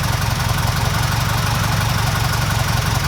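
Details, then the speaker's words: 1969 Ford Capri Pinto engine after new camshaft finger followers fitted, cam cover back on: steady, even, silky-smooth idle with no top-end ticking; quiet, healthy engine after repair. "Wow. I'm well chuffed about this guys. This sounds silky smooth."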